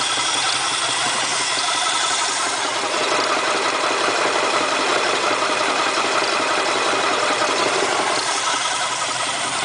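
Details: 351 Windsor V8 in an XF Fairmont idles with a fast, light ticking knock over a busy idle; engine just installed after sitting seven years, good oil pressure, no power loss, cause unknown.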